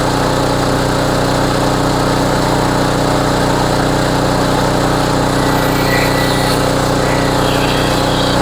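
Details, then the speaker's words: Homelite HGCA3000 3500 W generator after new carburetor and head gasket, warm, full load about 3,300–3,400 W from heater and hair dryer; steady, even drone holding pitch with no surging, hunting or misses; normal running under full load. "Under full load does run really smooth though and it is very easy to start"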